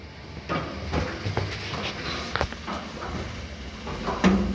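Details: Voltas window AC running: harsh, uneven knocking two or three hits a second; the fan blade strikes the outer body, which has rusted and swollen over time; fixed by tapping the swollen body back down.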